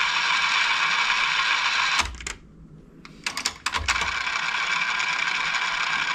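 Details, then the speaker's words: 1991 Kenwood KX-W6020 double cassette deck with tape inserted: steady high whir with a few clicks as fast forward runs and the counter moves. Fast forward works normally, but play fails in this direction. "Actually, fast forward works. You see the counter running here."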